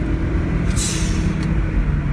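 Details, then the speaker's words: Audi 1.8 turbo after replacing the blow-off valve and the N74 diverter valve controller, which had fluttered and caused overboost and cutting out when warm. Two quick, sharp hisses over a steady engine rumble. Normal blow-off venting, now runs like a top. "I mean it's like literally like oh man that that blowoff Val sounds so cool but it runs like a top now"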